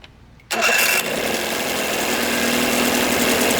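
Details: 1982 Evinrude 9.9hp long shaft outboard after paint, thermostat, water pump and crank seal work: starter catches at once, motor settles into steady busy idle without stumbling; normal start, though it had stalled when idle was lowered.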